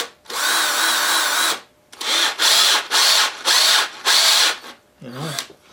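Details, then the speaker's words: Old cordless drill after opening and cleaning, running on low: high motor whir in about six bursts with gaps, still cutting out intermittently; owner thinks cleaning didn't fix it, cause unconfirmed. "i had the camera turned off i was around with it and it and it didn't sort of stop a couple times but uh seems to be wrong better than it did"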